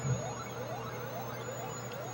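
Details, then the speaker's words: Gorf arcade game booting after its custom I/O chips were swapped: faint, thin rising electronic sweeps over a steady hum and whine. Sound is quiet and distorted, suspected dead audio channel, possibly from a bad custom chip. "and the sound doesn't sound great like it's not as loud like like one of the channels isn't working and it's making weird noises"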